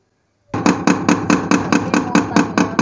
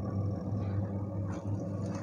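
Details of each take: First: Arashi mini washing machine, spin dryer after 3 months of use: the basket is overloaded, giving rapid heavy Second: Arashi mini washing machine after three months of use, filled with water and detergent, running wash mode on a 13-minute timer: steady, low, even hum with no knocks or scraping; quieter than a typical jumbo washer and running smoothly.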